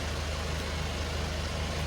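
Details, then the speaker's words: MK1 Ford Fiesta with Zetec turbo engine, first starts after ECU fix: low, lumpy idle with missing pulses, running on only two cylinders as two stay stone cold; owner suspects two injectors not firing. "It's only running on 2 cylinders. It is only running on 2 cylinders. Because these two are stone cold."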